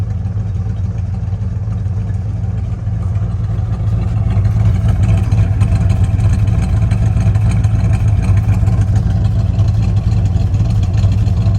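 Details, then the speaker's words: 1968 Dodge Super Bee with original 383 Magnum V8, family-owned survivor car, stock exhaust with one original muffler going out, on first drive after new brakes and master cylinder: deep loud loping V8 rumble, raw exhaust; failing muffler. "foreign stock exhaust one original Muffler you can tell one's going out this is what an original 383 Magnum car sounds like"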